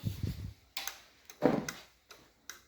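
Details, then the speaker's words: BMW R60/5 during restoration, ignition on, handlebar turn-signal switch worked right then left after rewiring: crisp dry flasher relay clicks, roughly two a second, in a quiet room; normal flasher operation. "we have the right switch, and now the left switch, signal switch. And I hear the sound of the relay."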